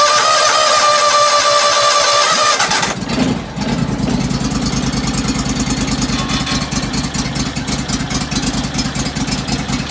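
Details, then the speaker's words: John Deere LX277 tractor cold start in January after about 3 months unused, manual choke closed, battery from 2004: sluggish starter whirr nearly three seconds before catching into a slow, low idle; owner suspects worn-out battery. "Well, it sounds like my battery is just about at the end of its lifespan. Certainly well past what you'd expect."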